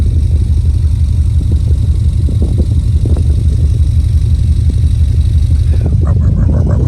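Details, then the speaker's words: 2004 Subaru Impreza 2.5RS with SRS stainless exhaust and new timing belt: clean, smooth, deep exhaust tone with slight throatiness, no ticks, rattles or misses; healthy exhaust note. "It's got a nice clean, it's a clean sound. It's got a little bit of throatiness to it. It's just smooth and throaty with a nice clean, deep tone to it."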